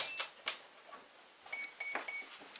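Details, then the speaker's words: Bixler 2 RC plane powered on one battery with DX6i transmitter on and throttle down: three high, clean beeps, the speed controller's normal power-up sequence before checking servos center. "I'm just going to use one battery here for the purpose of this. And you can hear the startup sequence."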